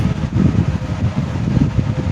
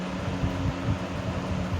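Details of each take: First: 1970s 16-inch Toastmaster box fan with replacement 1940s desk-fan blade set, freshly oiled, on low speed: soft even low rumble with gentle fluttering whoosh, no scrape or rattle; normal running. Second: 1970s 16-inch Toastmaster box fan, counterclockwise rotation, on low speed: low steady hum with uneven wobbling throb, vibration, bad balance on all three speeds; fan blade imbalance.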